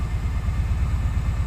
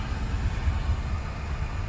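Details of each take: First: 2004 Daihatsu Sirion after EFI relay replacement for crank-no-start: low uneven lumpy idle with one cylinder dropping out, because an ignition coil connector was left unplugged after testing. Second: 2004 Daihatsu Sirion that cranked but would not start, now running after the faulty EFI relay was replaced: a low, steady rumble with an even beat and no misses or knocks. Normal idle after the repair.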